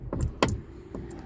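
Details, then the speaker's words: Car with about 140,000 miles, original rusty door check strap refitted, WD-40 and grease applied: four short dull clunks as the door swings through detents, quieter than before and than the defective new strap; worn check strap clunk. "it's not as bad as it was before. So but anyway, I'm going to change it. I don't like that sound."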